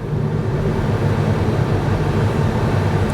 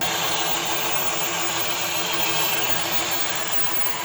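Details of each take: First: 2023 Kia Niro, 104,000 miles, driving after dual clutch transmission replacement: steady low drivetrain hum with no scraping or grinding, earlier loud noise gone, shifting good though one harsh downshift; normal transmission operation. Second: 2023 Kia Niro hybrid, 104,000 miles, driving forward and back. A loud, steady, harsh scraping from the dual clutch transmission. Failing dual clutch transmission, to be replaced.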